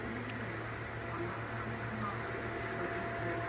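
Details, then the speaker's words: Fan motor running at full power, blade still dirty: constant low hum with a loud, pronounced oscillating whine over soft airflow, droning louder than it should. "It has a loud wine to it. Check out the wine or the humming"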